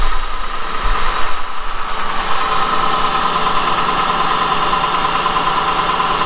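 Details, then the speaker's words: Honda with 102,000 miles at idle: steady idle with fast, light ticking clatter from the valve train; valves too loose, valve lash needs adjusting, slightly worse in drive. "this car in particular i can tell you just by listening to it they're too loose there's a lot of clatter and valve train valve train noise in this car"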